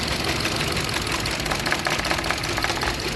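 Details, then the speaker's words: 2015 Hyundai Accent, engine running at idle with heavy misfire and no stored codes: rough, uneven idle with irregular stumbling beats in a busy, hissy note; one cylinder has no spark, coil good, traced to failed ECU coil driver. "इस गाड़ी में missing हो रहा है और जो है मतलब ऐसा ग रहा है जैसे एक सिलेंडर कोई कम नहीं कर रहा है"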